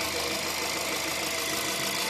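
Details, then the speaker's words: VW Caddy 1.2 TSI after a couple of minutes running, hydraulic lifters bled with oil: smooth, even, quiet idle with no lifter ticking or knocking. "работает тихо, хорошо, чётко."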